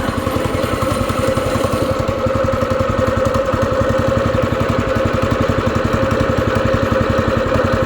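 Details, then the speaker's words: Small go-kart single-cylinder engine just refitted with the throttle cable reconnected, started on choke, not yet ridden: steady, even putter of about four beats a second with no misfires or stumbling. Normal running. "yeah this engine ran pretty good ran pretty good on the ground and stuff"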